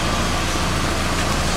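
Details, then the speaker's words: 1990 Nissan 240SX 5-speed after water pump, thermostat and radiator replacement, idling about two minutes: steady idle with a raspy, puffing hiss over the exhaust note; exhaust leak at the rear, just before the muffler. "there's a bit of an exhaust leak at the rear still"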